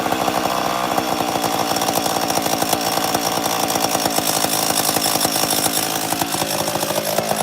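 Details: 850 chainsaw with bar oil in the cylinder coming out the muffler: fast, even two-stroke buzz holding steady with no stumbling or misses; shown as how an 850 should idle; normal idle.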